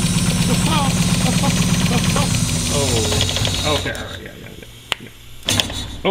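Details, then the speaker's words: 1967 Datsun Roadster with a Miata engine: a lumpy, uneven, stumbling idle about twice a second before it dies, running on cylinders one and four with two and three not firing; misfire began once it warmed up. "so yeah as you see there it is running on one and four two and three cylinder two and three are not firing"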